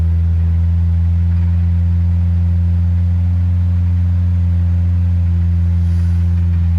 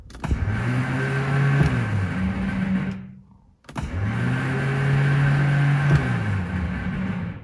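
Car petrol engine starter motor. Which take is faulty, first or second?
second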